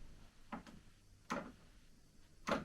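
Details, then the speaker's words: Sony turntable, typical Sony fault: auto-return attempted but fails, quiet irregular clunks about every second as the arm mechanism keeps retrying and never completes; the lift then also stops working. "Nope. It's confused as heck."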